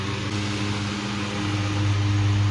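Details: Westinghouse fan after replacing motor with bad stator coil, at 110 V on low, current dropping from 0.63 to about 0.51 A as it reaches speed; smooth even hum rising with air rush; motor healthy.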